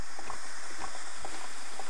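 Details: Homemade tin-can Stirling engine with diaphragm and displacer piston, string-linked rods to crank and flywheel weight, heated from below: soft slow even thumps about twice a second over faint hiss; running smoothly.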